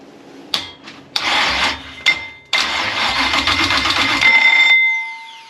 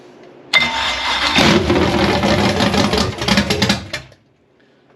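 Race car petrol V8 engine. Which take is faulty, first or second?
first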